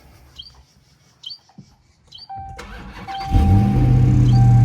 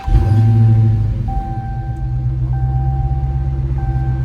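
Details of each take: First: Stolen Hellcat Redeye, supercharged V8, that kept stalling: fuel pressure sensor on the rear rail crossover behind the supercharger unplugged, starter whirs, then steady deep idle with no stumble; stalling traced to the faulty fuel pressure sensor. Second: Hellcat Redeye supercharged V8 after fix: fuel rail back on with sensor plugged in; cranks and catches cleanly into a deep steady idle, no stumble or stall, no engine light; normal start and idle.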